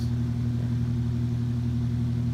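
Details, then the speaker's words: Mid-1950s Ilg Model 83 shuttered garage exhaust fan, new-in-box and first used after 60 years, grommet-isolated mount; steady even low hum, no wobble, rattle or rubbing, perfectly balanced, moves lots of air, normal running. "fan is perfectly balanced and it actually moves a lot of air again it puts a nice negative pressure on the garage"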